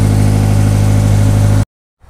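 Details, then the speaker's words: Subaru BRZ after alternator replacement (old one failed while driving, battery light on): smooth, steady low idle hum with no ticking, squeal or roughness; charging confirmed with tester. Normal idle. "Let's start it. Oh, it works. Perfect. It's working, so yeah."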